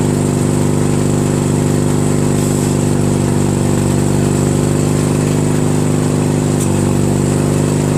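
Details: Craftsman DYT4000 lawn tractor with a 14hp Briggs opposed twin repower, electric PTO engaged with the deck belt removed. Steady, even mid-pitched twin-cylinder drone at constant speed, no knocks or surging. Runs smoothly.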